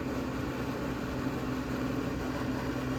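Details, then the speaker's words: 1970 Gibson Air Sweep window air conditioner, reconditioned, fan on low with the compressor off and the grille off: a steady, even airy rush over a low hum, no rattles or ticks; working normally. "oh yeah this unit has been gone through new brighted and everything so it's working good"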